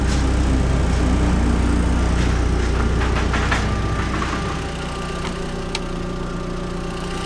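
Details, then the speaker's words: Neglected Audi TT that had been standing a while, cold start with some vapour: smooth, even idle with a steady low exhaust pulse and no ticking or misses; revs nice and even, normal idle. "So let's hop in. Revs are nice and even."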